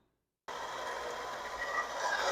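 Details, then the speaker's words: 2005 Toyota Camry, 2AZ-FE 2.4 L four-cylinder, engine started and running: continuous gritty whir with light ticking chatter at engine speed. The water pump pulley visibly wobbles and the pump leaks coolant. Water pump bearing noise; the pump is to be replaced. "so hopefully you can hear that and if you look you see that water pump pulley right there see how it's kind of walking"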